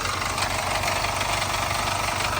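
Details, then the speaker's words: 2-litre Jaguar F-Pace with code P034200 (camshaft position sensor A circuit low), sensor unplugged, long crank before start: petrol idle with busy metallic rattle over a low pulse; timing chain or sensor suspected. "rattly, and I mean it."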